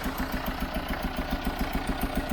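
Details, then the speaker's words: Chevrolet Tracker diesel at idle, being tested up to working temperature (84°), can't be revved: rough idle with hard even chuffing pulse about seven times a second; blown head gasket. "mas eu também não consigo acelerar a camioneta porque eu tô com uma junta rompida"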